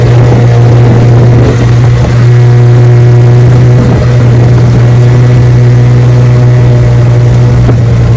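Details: Restored 1971 Evinrude 9.5 HP 9122R outboard on lake test run, about 17 mph, first-pull start; strong, steady drone at cruising speed with no misses or surges. Running normally under way, idles perfect.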